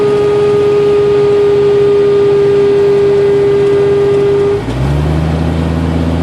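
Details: 1992 Jeep Cherokee, A/C on: steady mid-pitched whine over the idling engine, then drops out and the note changes; intermittent, mostly at low RPM or after a quick RPM drop, stops when A/C is cycled. Cause: overcharged refrigerant flooding the compressor.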